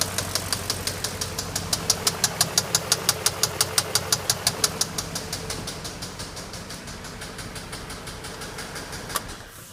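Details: BMW X5 engine at idle: sharp even ticking knock about three a second over steady idle, fading as the engine shuts off; knock of unknown origin.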